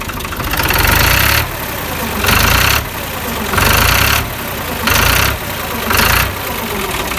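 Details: Idling engine with a harsh rattly swell recurring about every 1.5 seconds over the steady beat. Abnormal knocking, cause not identified.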